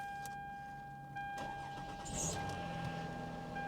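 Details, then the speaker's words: Auction car with 270,000 miles on a cold start: a thin, steady squeal from the slipping accessory belt rides over the engine as it fires and settles. Otherwise the engine sounds good. "But the engine, other than the squeak, the belt squeak when it first started, sounds good."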